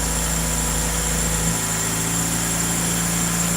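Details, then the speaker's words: Engine started after repair: smooth, even petrol idle with a steady hum, no ticking or rattling; the earlier loud ticking noise is gone. "No more picking noise coming out of this guy. Sounds so good."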